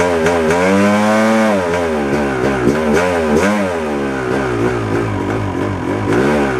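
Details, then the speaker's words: 1997 Yamaha YZ250 two-stroke, warm, revs surging and sagging with ragged popping under light throttle; sputter worse in gear with clutch pulled than in neutral, starts first kick. Owner suspects crankshaft/crank seal, not confirmed. "Uh, after all, it's it's acting up when I put it in gear. Not so much when it was in neutral and I pulled the clutch in and, you know, started playing with the throttle and not so much sputter when it was in first gear."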